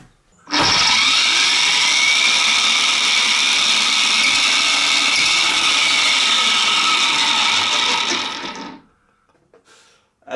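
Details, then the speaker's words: Electric motor fitted into a dirt bike engine driving its 6-speed gearbox on a shifter kart: loud steady high-pitched whine with harsh rasp, then spin-down; abnormal gearbox noise, cause unclear. "doesn't sound good all right before I put this thing on the ground I just want to see what this thing looks like with the tires spinning in the air"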